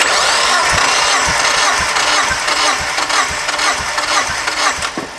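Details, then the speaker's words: Drift Miata still misfiring after new coil packs, plugs and wires; compression test suspecting rings or valvetrain. Steady starter cranking with even pulses about twice a second; cylinder 3 reads about 170, healthy compression. "All right, so that's about 170 for 3. Oh, that makes me really happy, I'm not gonna lie."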